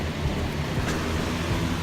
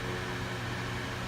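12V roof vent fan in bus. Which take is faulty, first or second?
first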